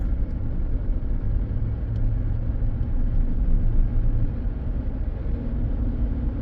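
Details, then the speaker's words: 2015 Chevy Silverado High Country crew cab climbing a hill under load: violent uneven rumble and shudder jarring the whole truck, with RPM wavering, smoothing out when the throttle is released; owner reports check-engine light and limp mode; cause unconfirmed. "come on people whoa there it's violent I don't know if you can hear it and feel it but it's like it's jarring the whole truck and then it Smooths out once I let go of it"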